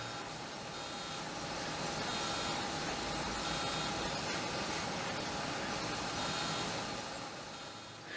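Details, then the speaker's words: Amiga 1200 internal floppy drive reported bad by seller, powered on; motor spins with buzzy seeking chatter but the head doesn't move, stepper seized before disassembly. "it's making a noise as though it's seeking but i don't think the head is moving i don't think the head is moving in there"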